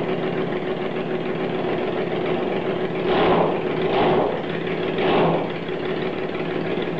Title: 1st start after rebuild